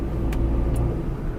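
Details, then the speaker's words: Used petrol car, in-cabin during a used-car check, accelerating in proper gear: steady low engine and road rumble, a smooth even pull with no knocks or rattles, showing healthy engine power. "तो उसके लिए petrol गाड़ी में तो ये बहुत easy होता है, आपको सिर्फ प्रॉपर गियर में रखना है गाड़ी और एक्सीलेटर प्रेस करना है, तो आपको ऐसा लगेगा कि गाड़ी छूट के भागना चाहती है।"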